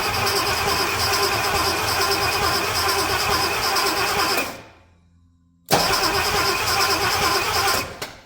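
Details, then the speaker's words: Chevrolet C30 truck engine, cranked on the starter before spark check: steady churn about three beats a second, slightly labored and uneven; owner thinks it sounds tight in the top end, maybe just carb noise. "yeah sounds pretty good sounds sounds a little funny it sounds a little tight up in the top end I won't lie"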